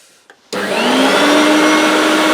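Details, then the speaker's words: Brand-new, unused 1990s Hoover Turbomaster U5096 upright vacuum, European two-pin plug, switched on at the handle on minimum in the upright position: motor spins up instantly to a steady even whine with clean whistling, no rattles or scraping; normal running. "wow that's what a brand new turbo Master sounds like folks well that's what a brand new turbo Master sounds like when it's in the upright position"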